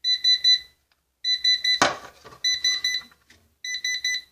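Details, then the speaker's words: Orvaldi INV-12-840W Home UPS (error F05, no 220 V output, shorted IRF3205 and KGF75N65KDF transistors) on test transistors: 220 V output appears but bursts of three or four sharp beeps repeat about once a second; alarm cause unclear. "Ну так 220 появилось Це добре що пищить не знаю що воно"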